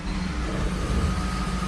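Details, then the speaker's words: 1979 Hurst Olds V8, cold, put in gear: steady, even low rumble, doesn't stall, carburetor well adjusted; normal idle in gear. "sounds nice doesn't stall carburetor is well adjusted"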